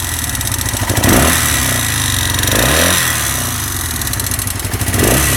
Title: Honda SL 175 engine rattling noise